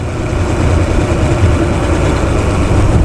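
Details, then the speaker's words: Weak, stumbling low idle on a four-stroke outboard with the top cylinder's carburettor mixture screw wound fully in, nearly stalling; far too lean during mixture adjustment before carburettor synchronisation. "so I I wound that all the way in and it almost stalled"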